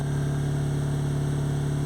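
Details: Ford Anglia with Mazda MX-5 engine running on two cylinders: lumpy, uneven low drone; cylinders 1 and 4, sharing a wasted-spark coil, are dead, and testing finds no injector signal to them while the center two are fine.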